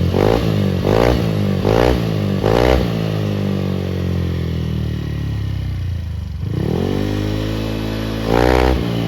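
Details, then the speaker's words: Honda Beat bored up to 120cc, camshaft without ADS, compression 12, original injector, ECU not yet remapped: four quick throttle blips then idle and another rev, each rise flat and thin; owner attributes weakness to stock injector, plans richer ECU remap. "Kedengarannya agak kurang. Ya, itu normal dengan injektor standar, ECU belum diprogram ulang. Kita akan memperbaikinya nanti dengan memprogram ulang ECU agar campuran bahan bakarnya lebih kaya."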